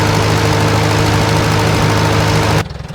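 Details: 1947 Farmall A tractor idling; the ignition switch had been left on overnight, draining the battery and burning up only the switch. The carb jet was adjusted slightly. Smooth, even low thump, healthy and well tuned: normal idle.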